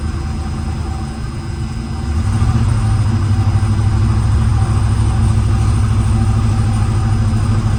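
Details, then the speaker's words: 1977 Lincoln Continental Mark V, first start after at least 3 years in storage, new battery, varnished fuel filter, known vacuum and exhaust leaks: lumpy uneven low idle with loping beat, heavy smoke; rough running, cause not confirmed. "Yeah, all right, cool. It's running. It's rough, but it's running. Yeah, she's a smoker."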